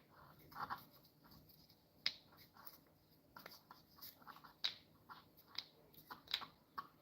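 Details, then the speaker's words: Trimmer carburetor from a John Deere / Troy-Bilt (Homelite-type) unit, diaphragm pressed by hand with no engine running: sharp, irregular dry clicks and snaps mean the diaphragm is too rigid and stiff, so it can stick in the fuel-on position. "Your diaphragm on your carburetor should not be sounding like this. It should not sound like that. That means this is too rigid. That means it's too stiff."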